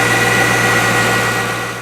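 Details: C5 Corvette (1997–2004) after replacing the accessory and AC belts, idler pulley and tensioner to cure a squeal: steady, even idle hum with a smooth belt drive and no chirp or squeal; accessory drive sounds healthy.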